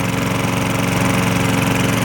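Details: Roadside-pickup MTD mower with a Tecumseh engine, on 0W-20 oil. Steady, even single-cylinder beat at constant speed with no knocking or misses; the earlier hard metallic rapping is gone and it sounds like a normal mower.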